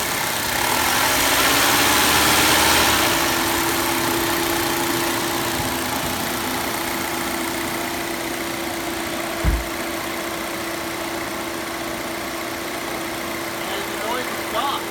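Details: 2.0L Volvo XC60 T5 after replacing the valve cover with built-in PCV oil trap that caused a resonant noise: engine catches and settles into a smooth, steady idle, no hissing or fluttering.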